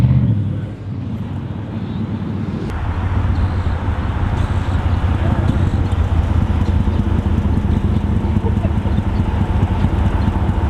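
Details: Chrysler 300C Hemi V8 with a broken exhaust flex pipe: deep, loud exhaust rumble that swells and roughens as the revs climb; exhaust leak from the broken flex pipe.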